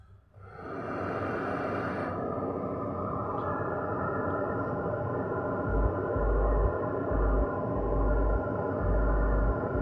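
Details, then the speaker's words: Powered active speaker that turns on but won't sound properly, crackling, amplifier using a TIP41 pair: steady electrical hum with dull low thumps that stay faint even at higher volume; output present but weak. "Ada tapi kecil."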